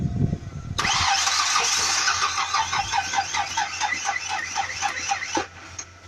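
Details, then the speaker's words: Truck after a dead battery, engine running: harsh, uneven chirping screech over idle as the belt slips and shreds on an alternator that isn't spinning; seized alternator, thought to be fried. "How do you know? Because it's not spinning. Oh shit. It's trying to spin. Look at your belt. Uh-huh. I heard that whining. It's shredding."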